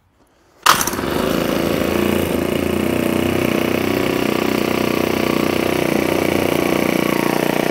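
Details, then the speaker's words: Ryobi S430 30cc four-stroke overhead-cam string trimmer engine removed and mounted on a wooden stand, starting up before valve cover removal: fast, steady buzzing run with no knocks or misses; healthy. "we'll get this engine start it up so you can see it run and we're gonna we're also going to remove the valve cover while it's running"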